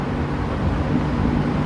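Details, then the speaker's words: Vintage fan, non-clicking switch, switched up to medium: steady low whir with even airflow rush, no rubbing or ticking; normal running on medium. "Quite a jump up to medium. Hope you're not getting too much wind noise."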